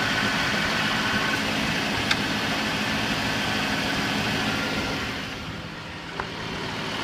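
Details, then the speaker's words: 2005 Chrysler Town & Country/Dodge Grand Caravan after timing chain replacement, mic near wheel well: smooth steady idle with even firing, former rattle gone except very faint occasionally; normal idle. "um but not hearing that grappling sound uh except for very faintly occasionally but it made a huge difference in the volume of what we're hearing"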